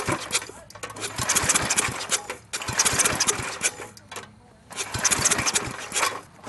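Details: Briggs & Stratton industrial small engine with replacement carburetor and fuel pump, after fixing a backwards vacuum line to the pump: catches in ragged bursts, sputters and dies between tries; extremely hard starting, still surging once running.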